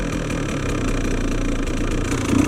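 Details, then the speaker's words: 2017 KTM 150 XCW two-stroke with a Lectron Billetron carb, radiators warming: slow, uneven, wet burbling idle that sags and runs low, seemingly loading up. Seems lean on top end, rich on bottom end. "Feel like it's loading up. Yeah, definitely lean on the top end, but I think it's rich on the bottom end."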